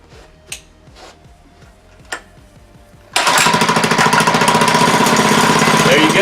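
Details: Monster Moto / Mega Moto 80cc mini bike, unstarted for six months, fuel stabilizer used and a small squirt of starting fluid: a few slow cranking pulses, then the single catches and settles into a fast, even popping run without misses.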